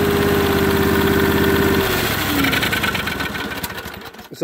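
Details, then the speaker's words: Briggs & Stratton overhead-valve engine on a 450-hour 4016 tractor; uneven pulsing beat that sags and stumbles as if starved of air, won't take throttle, smoking, backfiring; air filter plugged with oil or debris. "your tractor won't take any throttle it's smoking it's backfiring the air filters either plug the oil or debris and that's what's going on there"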